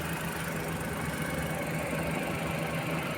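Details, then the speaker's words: Suzuki minivan with a D63 engine: uneven, stumbling idle that vibrates the body, with an intermittent check engine light and a cylinder 2 misfire; spark plug, ignition coil and injector were ruled out; the cause is too-tight exhaust valve clearance. "So naglindol na yung sasakyan. Yan oh. yung body ay talagang nag-vibrate."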